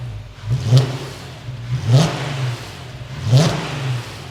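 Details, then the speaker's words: Restored VW Passat R36 given three clean throttle blips that rise and fall smoothly with no knocks or clunks. The engine no longer rocks around now that the dog bone mount is fitted. "one big change the engine's no longer rocking around so that dog bone has done the trick"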